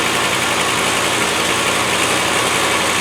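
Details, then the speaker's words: Land Rover 110 V8 with big carburettor, idling without its full exhaust fitted: steady, even idle with a hissy open-exhaust edge, no knocks, misses or hunting; running smoothly. "It sure is a nice engine. I bet it goes like feces off a stick with that big carbo."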